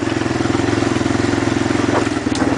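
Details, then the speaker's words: 2001 Kawasaki Lakota Sport ATV running: low, even purr with a steady quick pulse, quiet and smooth, no knocks or rattles; a healthy engine. "Love hearing that Kawasaki engine roar. Not really roar, I guess it kind of purrs, growls."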